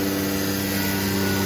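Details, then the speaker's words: Becker VTLF 2.250 dry rotary vane vacuum pump on a CNC router, all zones closed and deadheaded, gauge about 23–24 inHg, little exhaust flow, relief valve open; steady even firm low hum, running strong at full vacuum. "very little coming out of the exhaust because there's not much air moving right now because we're deadheading this pump we've got it completely sealed up"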